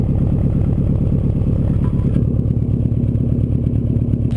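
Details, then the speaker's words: 2002 Subaru WRX wagon, 2.0 L turbo flat-four with stage 2 tune (about 275 hp), idling with exhaust silencer fitted, much quieter; smooth steady low burble, even firing, no knocks or misses, healthy. "And with the silencer, it is a lot quieter. Hardly hear it, eh?"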